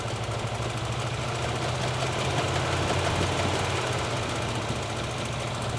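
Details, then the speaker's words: Engine with backfiring and known cylinder 6 problem, warm, all plug leads connected: lumpy uneven idle with irregular thuds about three a second; misfire, rough idle before cylinder 6 test. "since we know that we have a problem with cylinder number 6, is run the engine as is, everything connected, listen to it, give it a couple of revs, see how she does"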